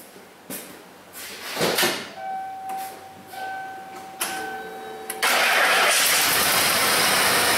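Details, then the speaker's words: 1995 Ford F-150 5.0 L V8 (OBD1, cowl induction hood) running poorly: cranks, catches and settles into a rough, uneven idle with a stumbling beat, sounding like a single-cylinder misfire; shaking pronounced in gear. "I start up on the parking lot and it runs terrible sounds like a single cylinder misfire is all to me uh you know just like like a crab spark plug or something like that kind of sound dead"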